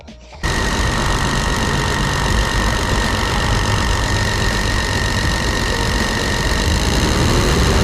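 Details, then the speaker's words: 1999 Chevy Astro AWD van with a recurring ignition no-start, after cleaning the distributor cap: catches and runs steadily with no misses or stumbles. Running normally. "all right boys that was it I cleaned the distributor cap and she runs like a peach now"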